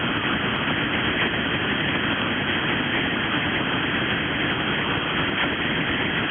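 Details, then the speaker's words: Constant dense hiss filling the 17 m band near 18.139 MHz on a ham receiver, no voice or signal getting through; the operator says a device turned on at his own station makes the noise, so he moves frequency. "I got something turned on that that makes this noise. Uh, but I now see exactly where it is. So I'm going to move up a little to avoid the interf interference."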